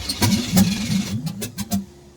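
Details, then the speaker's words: Camaro V8 with open headers, new micro fuel pump just fitted: rhythmic starter chugging about three beats a second, never catches; crank no-start because there is no gas in the tank. "i have reached the point where it's loosely hooked up and there's no gas in the car so i'm gonna have to remedy that"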